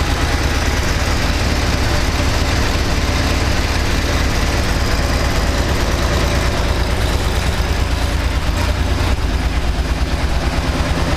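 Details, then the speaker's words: 1995 GM 3.4L SFI V6 (Camaro), cold: uneven idle with low rumble stumbling and popping as cylinders misfire; runs fine once warm; owner suspects a wire missed when cutting down the harness. "I can show you guys how this 3.4 liter 95 SFI engine is farting and popping when it's cold. Once it warms up, it runs good, but when it's cold, it sucks, and I'd like to know why."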